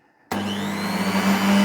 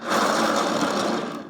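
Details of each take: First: Double-insulated Luminina (Aldi brand) mixer of unknown age on its speed control: spins up instantly to a smooth, steady hum with an even whir and no rattles or grinding; healthy motor. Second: Cheap, creaky, very light Luminina (likely Aldi) mixer turntable spun by hand, unplugged: gritty, crunchy rumble fading as it slows, like rolling on gravel; rough turntable bearing.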